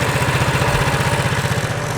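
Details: Baja Warrior mini bike, after build: small single-cylinder putters at a steady, even beat with no sputter or misses; earlier sputtering came from wrong choke setting, runs cleanly once choke is set right. Normal running.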